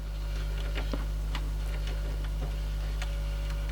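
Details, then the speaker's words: 1995 Marantz 74SD535 dual cassette deck: steady motor hum with faint irregular ticks and scuffs as the pinch roller barely turns, stops and rubs, seizing worse; owner suspects a rusty bearing; pinch roller rubbing. "it was doing it something like that where it was going and then stopping occasionally but whatever it is it's seizing up even worse so it's probably just the rusty bearing maybe"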